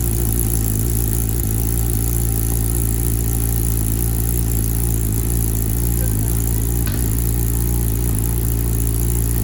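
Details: Wrecked 2021 Kawasaki ZX10R being rebuilt, first start after refuelling and a fuel pump gasket, exhaust view, in Rain mode, tune still pending: loud steady idle with a slightly uneven beat underneath. Rough running, cause unknown.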